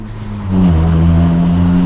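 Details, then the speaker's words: 25-year-old Honda Prelude after a trembling exhaust metal part was dealt with: a quick rev from idle to a steady, clean hum with no rattle or buzz. Normal revving. "Rares: how is it? Valica: like in a proper Honda! :-)"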